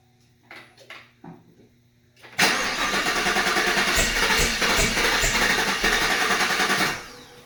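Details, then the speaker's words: 2019 Camaro SS, 6.2 L LT1 V8, during stuck-injector repair after cranking with injectors unplugged: fast steady cranking about four and a half seconds without firing; cranks but won't start, owners suspect no fuel reaching somewhere. "No, something's not right. Did you hook your pump back up back here and stuff? Sounds like it's not getting fuel to somewhere."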